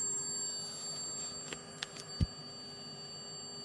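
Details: Amazon switch-mode supply powering a German WW2 tube radio receiver (2 V filament, 90 V anode), 1 microvolt test signal: constant thin high whistle over quiet hiss; 0.6 V ripple at 15 kHz on 2 V filament line, cured by 1000 µF capacitor.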